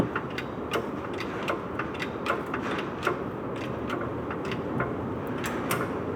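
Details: Peugeot 206 RC: sharp irregular ticks roughly once or twice a second over a quiet low rumble; abnormal noise from the driveshaft intermediate (centre) bearing.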